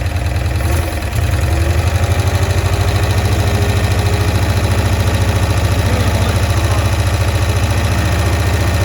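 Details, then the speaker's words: 1965 Cushman Truckster, sitting one year, just started on choke: fast, steady low putter at about three and a half beats a second with a faint carburetor sucking edge while mixture screws are adjusted; owner suspects a stuck float. "okay so what I'm trying to do here is I'm adjusting the mixture screws to try and get it to run at optimal performance and at the same time it sounds like it might have a stuck float"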